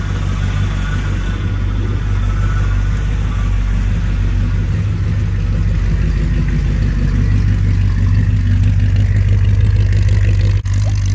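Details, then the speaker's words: 1966 Chevy Impala V8, heard at the rear exhaust, first run after sitting about 24 years, with low power steering fluid: deep, steady, unbroken idle rumble; sounds healthy. "Oh, that sounds good, doesn't it?"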